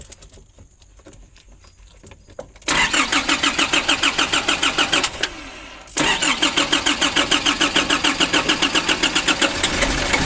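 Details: 2005 Nissan Urvan diesel sat for years, now with new oil, filter, battery and fuel lines from tank to engine, diesel filter hand-primed. Quiet at first, then steady cranking at about three strokes a second, a brief pause, and more long cranking without catching.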